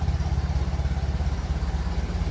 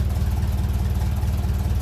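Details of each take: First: 1957 Ferguson 35 TVO tractor on a cool evening: steady even low chug; runs normally. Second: 1957 Ferguson 35 TVO tractor idling just below 600 rpm while warming up, adjusting idle mixture screw: deep steady idle with a faint unevenness, a slight misfire from the mixture being off, smoothed by turning back in.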